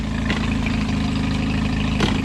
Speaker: oh yeah everything's working [Music] she runs amazing